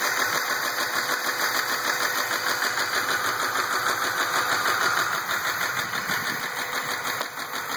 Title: 2004 RAM 1500 engine knock